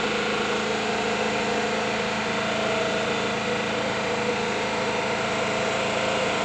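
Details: Freshly rebuilt flat-four engine in a 1979 Volkswagen Bus, first start before tuning, hydraulic lifters still building up: steady even idle with smooth busy chatter, no knocks or misses; normal idle.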